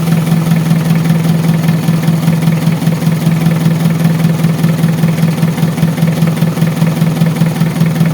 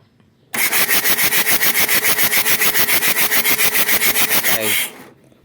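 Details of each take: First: Mitsubishi Adventure diesel after repairing an air leak at the fuel pump that caused hard starting and misfiring: starts on one click, steady low diesel clatter at an even idle with no stumbling or hunting, healthy. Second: Mitsubishi Adventure diesel cranks steadily for four seconds without firing, even after a new nozzle/heater part; hard starting from air entering at a leak at the fuel pump.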